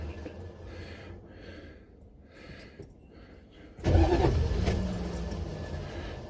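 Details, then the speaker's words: Buick Electra 5.7-litre diesel, cold start after a year sitting, unrepaired blown head gasket, weak battery, glow plugs run 10 seconds first: heavy kick with harsh grinding as the starter throws out each time the engine kicks; starter not staying engaged. "okay okay all right well every time the engine gives a kick it just pops up starter raw out"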